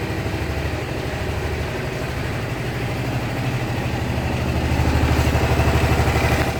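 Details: Honda SH 300i scooter: steady idle with a fast, even light tick about three per second over the engine; mechanics say it is nothing, owner believes something is wrong; source unknown.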